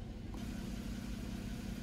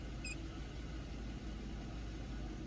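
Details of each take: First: 2011 Chevy Equinox, EGR valve returned from commanded-open to normal (closed at idle): low, steady idle with an even beat, the shaking and harsh idle gone. Normal idle restored. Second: 2011 Chevy Equinox at idle, EGR valve commanded progressively open (23–29%) with a scan tool: low, uneven, labouring idle that sags and misses at about 500 rpm. Rough idle from the open EGR.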